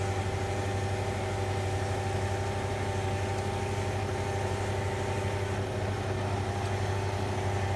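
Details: 2003 Range Rover after sitting four days, shortly after garage fitted new timing chains and guides: steady mid-pitched whine over even idle from lower timing chain cover area; some earlier issues from lumpy rough idle fixed, whine remains; vibration on acceleration; cause unconfirmed.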